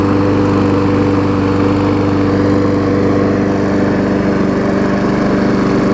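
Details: Craftsman push mower with Briggs engine, after carb diaphragm replacement (thicker diaphragm doubled, gas leak stopped) and service: smooth, steady drone at constant speed, no surging, misfires or stumbles; normal running.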